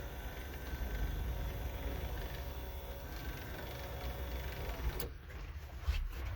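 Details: Mercedes G-Class W463 sunroof after the fix (a hose re-routed without kinks and secured with a hose clamp), which cured an "aliens in the roof" noise: quiet, low, even motor hum, then a soft stop thump, no grinding or clicking. Normal operation.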